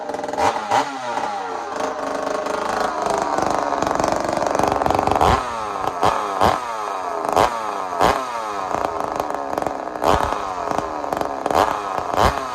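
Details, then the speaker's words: Rebuilt ported two-stroke chainsaw after blown-up engine with trashed connecting rod; revving hard and dropping back in repeated crisp, even bursts, no knocks or rattles; sounds healthy, normal running. "so let me show you what tasmanian saul sounds like right now it sounds healthy to me you tell me what you think"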